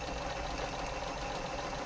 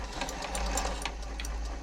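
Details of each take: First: Janome MemoryCraft 3000 sewing machine after a service and a new needle replacing a slightly bent one: steady, even whir with a fine fast patter and no swish or rubbing, running smoothly. Normal running. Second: Janome MemoryCraft 3000 sewing machine during a service, on wide zigzag with the hook timing checked as correct: quick steady ticking with a light swish of the needle brushing the hook point. Bent needle suspected, tested by fitting a new needle.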